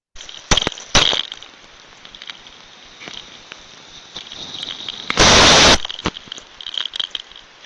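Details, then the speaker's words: Steam trap checked with an Ultraprobe 15000 ultrasound detector: a continuous steady high hiss with no shut-off cycle, only a few clicks and one loud burst, so the trap isn't closing properly and is leaking, not effective at all. "there's continously sound so that means it's not feeling properly it's leaking not effective at all"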